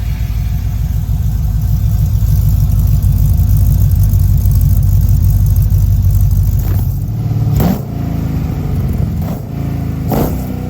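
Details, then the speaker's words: 1955 Chevy truck LS V8 (original injectors), very first start after year-long build, temporary exhaust: deep even burble with a few blips, idle already coming down after startup, no knock or tick; healthy, nothing leaked. "Oh yeah, baby. Idle's already coming down. I'm loving it. Hell yeah."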